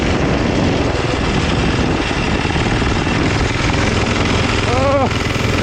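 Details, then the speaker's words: Vintage four-horsepower Briggs & Stratton on a 1970s mini chopper at wide-open throttle: loud coarse harsh shaking drone, no steady note, heavy vibration; runs rough, cause unclear. "thing will shake your teeth out god that sounds awful"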